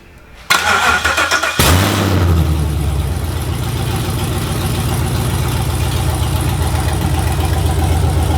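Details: Gen V engine on standalone harness, battery on starter, cranked by jumping the starter solenoid wire: brief crank, catches at once and settles to an even, steady idle with no misses or knocks; clean start.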